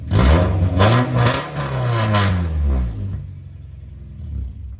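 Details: 2001 Honda CR-V RD1 with exhaust pipe rusted out just in front of the muffler, to be fixed with a welded-in pipe section: revs up and settles with a loud, raspy, booming exhaust note far louder than stock; exhaust leak.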